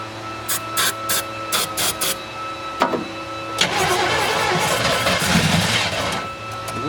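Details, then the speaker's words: 1972 Chevelle Malibu, original small block, sitting 15 years; grounds hooked up, starter fluid used. Several cranks, then it fires and runs roughly about three seconds before fading; owner suspects distributor adjustment and no fuel built up in the carburetor. "so this baby's going to run I just need to adjust the distributor a little bit"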